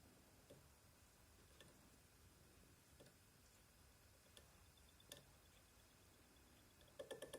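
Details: PS5 owned about a month, noise starting a week ago: faint irregular chirps and ticks over a quiet hum, ending in a quick cluster of squeaks; cause unknown.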